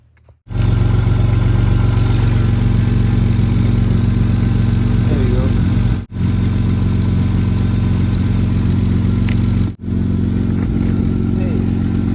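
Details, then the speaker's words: 2010 Kia Sportage 2.7 L V6 starting after alternator replacement and belt refit: engine catches and settles into a loud, deep, puffing idle with a raspy pulse; exhaust leaking very badly. "I need to fix a couple of other things on this car. Exhaust is leaking very badly."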